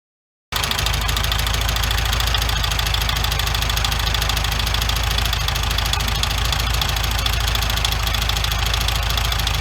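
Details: 1974 VW Beetle air-cooled engine: rough idle with a loud, steady knock about four times a second; the engine was replaced and the old one will be torn down to find the source.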